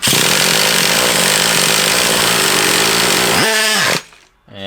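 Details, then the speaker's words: Traxxas Revo 3.3 nitro RC car engine, runs poorly with a leak at the low-speed needle: four seconds of continuous buzzy starter cranking with no firing, then a brief whir; it cranks but won't start, risking burning out the starter motor. "I've got it running it runs but I don't run well I think it won't start good now"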